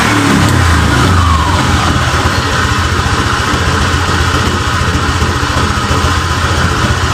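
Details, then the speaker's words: Honda Vario 125 (old) scooter with brebet, fuel gauge blinking and overheating: engine speed unstable, idle set around 1,000 rpm rising by itself to 1,600, throttle opening changing on its own on a rev; throttle body to be checked. "tapi untuk rpmnya ini kelihatannya terlalu kadang naik kadang turun di setelan 1.00 ini berubah sendiri menjadi 1.600"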